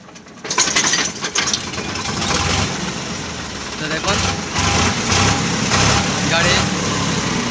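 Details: Sonalika 47 RX tractor with dead battery, self-starter not working, roll-started downhill in fourth gear, high range, by releasing the clutch; the diesel catches with a sudden clatter and settles into a steady, rough-edged idle.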